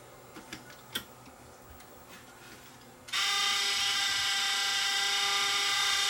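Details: Sony DSR-11 DVCAM deck, front board refitted, unit being turned over: a few clicks then sudden loud high screech with steady ringing tones in fast wind; owner suspects a motor bearing, possibly the capstan motor.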